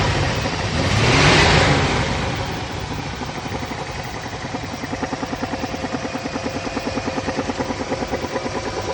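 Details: Pontiac G-body engine: a rev blip, then idle with a steady thumping pulse about three per second; owner unsure whether it is a misfire or spun bearings.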